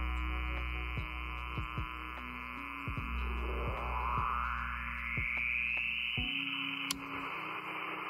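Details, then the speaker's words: Icom 705 powered via Powerpoles from Xiegu DH100 power station, 12 V output on: receiver fills with steady whistles and an upward-sliding tone over buzzing hash; heavy interference from the power station. "here we got the 705 connected by power poles into the AC and of course we know what it's going to do when we actually turn the 12 volts on there it goes and oh my I haven't even turned the solar station on yet watch this yeah that's uh some real heavy interference"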